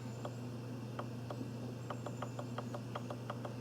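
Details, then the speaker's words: Volkswagen Jetta secondary air injection diagnosis, solenoid valve energized by jumper lead to battery negative; soft crisp audible clicks at irregular intervals over low steady hum, not very loud; valve switching normally. "okay now what we should be listening for is that it's a click an audible click here it"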